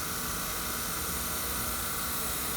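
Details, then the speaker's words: 1969 Mercedes-Benz 280 A/C, York-to-Sanden compressor conversion, nitrogen pressure test: steady sharp hiss as pressure rises; system held deep vacuum yet leaks under pressure at rubber hose crimp. "we got leakage now you see how deep of a vacuum the system held but yet it's leaking under pressure there we go at rubber at the crimp"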